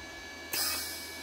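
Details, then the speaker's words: Parkside PMSG 200 A1 MIG/MAG/TIG/MMA welder, 0.8 mm wire, gas flow set to at least 8 l/min: sudden hiss of shielding gas after trigger release tapering to a steady rush, about 2 s fixed non-adjustable post-flow; normal gas post-flow. "dofuk tam je co je dobře svářečka je připravena k použití"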